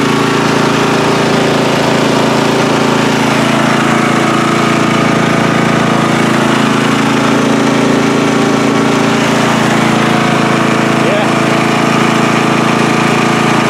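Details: Free riding mower on a first start test after its gas tank was drained and fuel was added by hand amid flooding: a loud, unbroken drone at constant speed with no surging or coughing, running smooth and steady.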